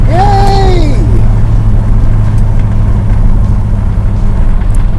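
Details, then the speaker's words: 1973 Dodge Dart Swinger cruising on a test drive: steady low engine and road drone, no whine or rattle from the bell housing/transmission area; earlier whine is gone, though a rattle in the steering column remains. "yep definitely whatever that is in the steering column is still rattling so gonna figure that out but our other noise is gone gone gone yay"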